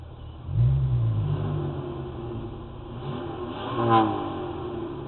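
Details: 1988 Chevrolet S-10: engine revs up and drops back with a sharp pop near top of rev; backfiring, owner expects a new bottom end needed, cause not determined.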